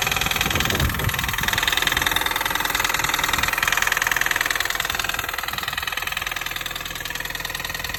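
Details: Engine clapping noise at idle on a 2005 Mini Cooper S R53: sharp, even clapping at about two and a half per second over the idle, regular and persistent; the source of the knock is unconfirmed.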